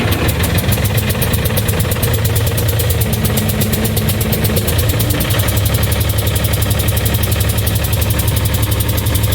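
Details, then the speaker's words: John Deere 260 skid steer diesel running briefly with fresh oil and no coolant; rough uneven clatter and deep rumble at idle; a later start attempt gave a loud bang and no restart, head gasket blown and visibly hanging out of block. "came back a couple days later to move it and i went to fire it up and there was a very loud bang and it never started again so i know the head gasket's bad"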